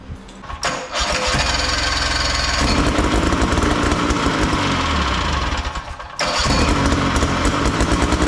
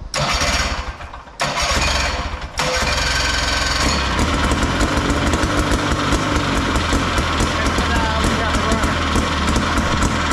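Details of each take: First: Big Max 6x6 amphibious ATV, 440cc two-stroke: it starts, then runs unevenly with a lumpy, stumbling, rich beat and dips in speed with the choke on; rough running, and the owner suspects one of the adjustments. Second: Max 6x6 amphibious machine, 440cc two-stroke rear engine, run with choke on: fires after a few pulls into a steady crisp buzzing idle, a little smoky, no misses; normal running.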